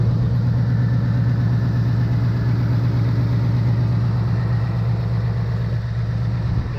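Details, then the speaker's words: 2018 Ford Mustang after short block redone for typewriter tick: smooth even idle with only faint light tapping, heard near the wheel well; normal direct fuel injection ticking, no typewriter tick. "You can hear there's something. Now that is the fuel system. That's normal. Gotcha. That's direct fuel injection."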